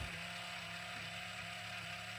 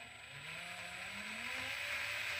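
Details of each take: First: FMS FCX10 Toyota LC80 RC crawler after 8 months of hard use, at full steering lock: steady servo whine with fine rapid clicking as the front axle binds from too much steering throw. Fixed by reducing the steering dual rate about 25%. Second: FMS FCX10 Toyota LC80 RC truck after eight months' hard use, steering dual rate reduced: motor whine rises and falls smoothly with no clicking or popping from the front axle; axle binding eliminated.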